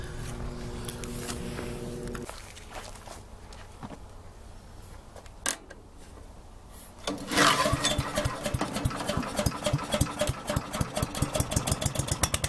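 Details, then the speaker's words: Troy-Bilt chipper shredder model 24A-414B711 final demo after a new carburetor fuel line fitting, an oil change and recoil oiling; after a quiet stretch the small engine catches into a quick, fairly even putter. Normal idle, ready to go. "anyway for what it is it's working good so it's ready to go"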